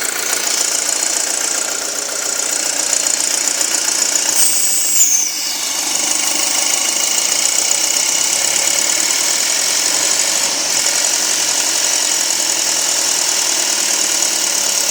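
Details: 2007 Audi A4 2.0T turbo petrol at idle: fast light ticking over a hissy, high-pitched running sound, worsening over weeks; strong intake suction and choking when oil cap or dipstick pulled, rough running, rpm sometimes rising, check-engine light came on once; cause unknown.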